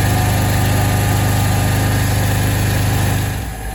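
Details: El Diablo carpet-cleaning truck mount after coupling sleeve replacement: steady, even low engine drone, smooth pulse, no knocks or rattles; runs healthy after repair.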